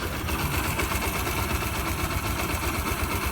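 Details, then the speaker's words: 2005 Yamaha YBR 125 after engine repair, one small engine part still missing so not 100%: low even idle with faint leftover chatter. Running again, and slightly better with a little throttle. "na marcha lenta né se acel um pouquinho ela fica até melhorzinha"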